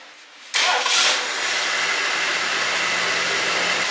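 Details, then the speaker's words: 1978 Lincoln Continental 460 big-block V8, revived after 15 years stored, started after an oil change: quick crank catches at once and settles into a steady, even idle with no knocks or ticks; normal start and idle. "Honestly, I don't know if I'm more excited about the hideaway headlights or how well the engine runs."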